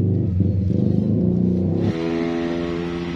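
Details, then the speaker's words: X-Ride with harsh noise from the middle of the engine, traced to low oil (owner says deliberately underfilled before sale); after refilling oil, engine starts and settles into a smooth, even hum with no harsh knocking, noise gone. "ya suaranya hilang Jadi benar gara-gara oli yang sudah sedikit ya"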